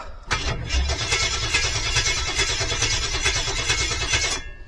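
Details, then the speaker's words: 1972 Jeep Wagoneer, long stored, cranked with no transmission fitted; starter turns engine at a steady two-plus beats a second but never catches; fuel pump not heard running, no-fuel condition found, fuse or relay suspected. "sounds pretty good I don't hear the fuel pump running so that may be part of our issue right now"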